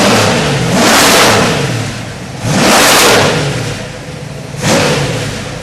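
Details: Ford 347 stroker V8 turnkey crate engine on the test stand before delivery. Three clean throttle blips about two seconds apart, each rising and falling smoothly with no knocks or misses; a healthy engine revving freely.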